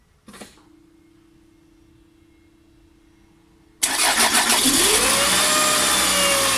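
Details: Toyota Estima ACR30 near 200,000 km: after a faint hum the engine fires with a harsh whirring and rising whine that settles with revs; water pump noise, quiet turned by hand but loud with the belt on, worn bearing suspected.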